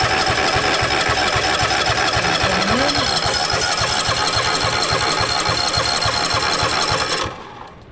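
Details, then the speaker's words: 2021 Toro TimeCutter zero-turn, used, after a new filter and fresh fuel, choked: even starter chugging three to four times a second never catches; the fuel line was empty and is just starting to fill. Cranking no-start from fuel starvation. "okay fuel's coming in just now we can see that the fuel right there is just starting to fill up that was empty and it didn't start"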